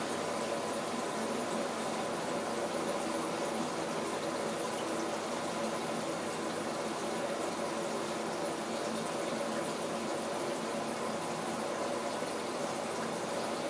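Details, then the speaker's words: Waltham washing machine being repaired for no heating and stopping mid-cycle; earlier the valve filled non-stop until overflowing. On a 90° program the water rushes steadily into the drum and sounds different from before, then stops at full level. Normal water fill. "On voit le niveau qui rentre dans la cuve. Ça fait pas du tout le même bruit que l'autre fois. Il a un changement de bruit."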